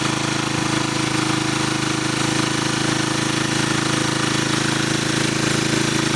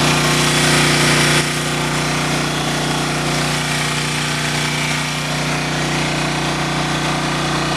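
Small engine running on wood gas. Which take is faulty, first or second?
first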